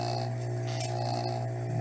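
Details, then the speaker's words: Rebuilt Tsurumi 12PN (Aquascape) pump motor running after rebuild: smooth, steady hum with no grinding or rattles, bearings working fine. "you hear that nice smooth no grinding noises the bearings are working fine this is a sweet little motor"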